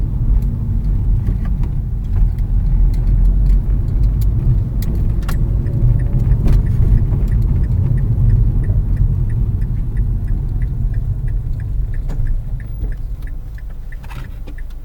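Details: 2006 Mazda3 after the strut mount and lower arm were already replaced: low road rumble with scattered irregular clunks from the front end over bumps; the cause turned out to be worn front sway bar end links.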